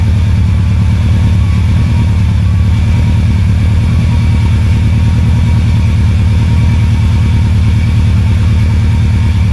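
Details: Rebuilt Subaru Impreza WRX engine on its first test fire, run for a few seconds without coolant: deep, smooth, even idle with steady pulses and no knocks or ticks. Oil pressure came up well. Normal running.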